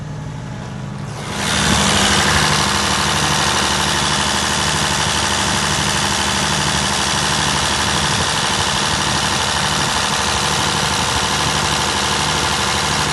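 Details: Perkins 1103A-33TAG2 three-cylinder turbocharged diesel on a 45kVA prime-power generator: start-up, then a smooth, deep, evenly pulsing drone holding steady speed under load, no knocks or rattles; normal running under load.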